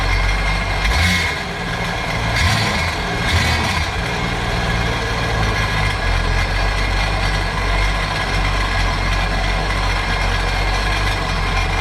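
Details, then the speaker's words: 2009 Sea-Doo GTX 215 supercharged jet ski after replacing dead cylinder-one injector: steady, even drone with a couple of brief throttle blips, no misfire or stumble; running cleanly. "Let's pop it back in. Let's see how she runs. [Music] That sounds a lot better."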